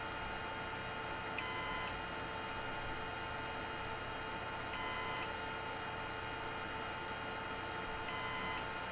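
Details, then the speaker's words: Synology DS118 NAS with replacement 3-pin fan in quiet mode: short high beeps every three seconds over steady fan hum; fan runs so slow the unit thinks it stopped, triggering fan-failure alarm. "Okay, so in quiet mode, the fan goes so slow that the device thinks the fan stopped and it's starting to beep."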